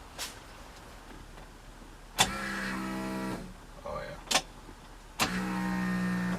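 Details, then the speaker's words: 1965 Mustang fuel cell with external electric fuel pump, after fitting insulators: key on, two short even whirring bursts then silence as the pump primes, already much quieter than before; normal fuel pump priming. "she'd be able to hear the pump start at least the pump primed where it is your that that's a good sign and it's already a lot quieter than what it was"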